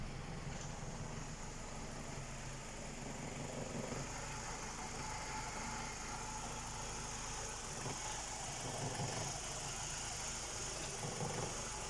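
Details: BMW E90 with N46 four-cylinder engine, after crank-no-start fault 2F44 fixed by syncing the DME with the car access system via INPA; quiet steady idle with even low hum and faint high whine, running normally.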